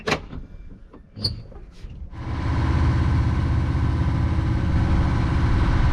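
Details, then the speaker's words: Sailboat engine on the sister boat whose broken starter motor was repaired, motoring out of the marina: after handling clunks, a deep, steady, even thrum; works again, healthy running. "Do you hear that? That is the sweet, sweet sound of the engine. It works again. Woohoo!"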